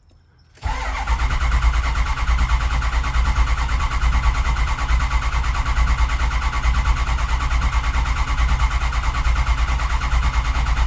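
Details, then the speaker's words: Ford 6.0 Powerstroke diesel truck, crank-no-start; gauges showed it was not making high-pressure oil, and the owner suspects the recently replaced high-pressure oil pump again. Long, even, low cranking churn with no firing: cranks but won't start. "trying again might be the high press oil pump again but that just got done so that would be covered under warranty"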